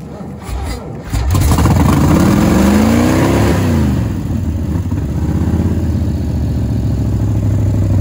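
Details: 1967 Chevelle former dirt track race car with a V8, revived after sitting in the woods: cranks briefly, catches in about one second, revs up and down, then settles into a steady, lumpy idle; running normally.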